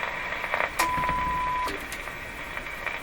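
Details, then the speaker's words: Philco 38-C7 tube radio during IF transformer alignment, fed a weak test signal after calibration: a faint steady tone over soft hiss for about a second, then fades; the set still picks up weak signals, working well. "Okay, so this is a low signal, and you can still hear it. The radio's working quite well."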